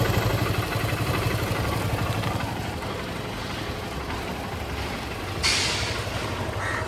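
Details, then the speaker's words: KTM Duke 250 Gen3 single-cylinder idling; owner says oil has settled so the engine sound differs: steady low even putter, no knocks or rattles; idle normal. "तुम्हाला इंजनच्या आवाजामध्ये फरक कळत असेल oil आता खाली बसलाय म्हणून असा आवाज येतोय विषय नाही"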